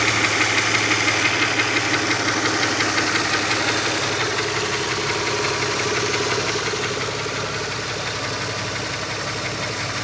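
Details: Opel Omega B at steady idle with a sharp regular ticking knock, roughly three a second, from the exhaust camshaft on the second cylinder head; exhaust camshaft knock.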